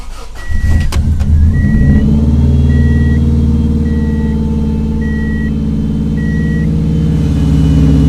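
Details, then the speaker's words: 1994 Subaru Legacy Turbo wagon after a 5-speed manual conversion: quick crank catches and settles into a steady low idle under a repeating warning chime; ECU relearning idle, needs 10–15 minutes warm-up. "it's going to relearn its idol we got to let it warm up let it idle for like 10 to 15 minutes"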